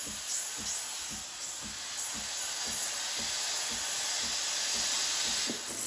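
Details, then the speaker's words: Breville Barista Express BES870 steam wand with its tip held near the milk surface, aerating it: a steady airy hiss with soft rapid chirps, about three per second. This is normal milk frothing. "When you put the tip of the wand close to the surface of the milk, you'll hear a hissing sound, like this. That tells you you're injecting air into the milk, you're aerating it, you're giving it that creamy pressure, creamy texture."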